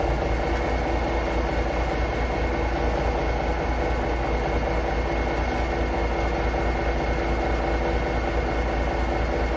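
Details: International Paystar diesel idling after the radiator rebuild with new gaskets; deep steady idle with an even low beat about once a second, no knocks, rattles or misses, air at about 70 lb, no leaks; normal idle.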